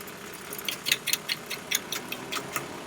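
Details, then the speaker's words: 1994 Mercedes C280, under the hood: a sudden, sharp, uneven clicking about two or three times a second over a quiet idle. The fan clutch was first suspected; the fan bearing bracket had failed and was replaced. "so I was hearing a very strange noise from our car a spooky clicky noise and it started all of a sudden"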